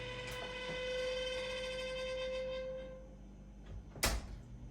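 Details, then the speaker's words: 2010-and-up Samsung range oven: a steady high squeal near 500 Hz from the convection fan motor, stopping when the door opens; worn motor bearing suspected, motor to be replaced. "if i open it up the oven stops but you can hear the noise clearly it's coming from the [Music] convection motor that runs the fan inside the oven"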